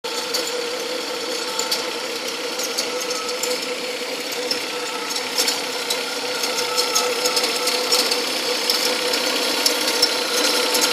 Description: Weird noise that comes and goes on my 2003 Cts.